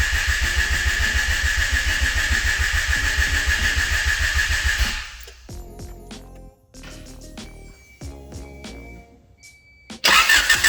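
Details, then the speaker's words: Honda Accord CB7 with swapped JDM F23A VTEC engine, no radiator, five-second start attempt: starter churns steadily about 3.5 times a second without firing; crank no start, not distributor or crank position sensor, no fuel getting through. "but i figured out my issue and thank god it is not the distributor it is not that um crank position stuff that's what was wearing me um i'm having an issue of just not getting fuel"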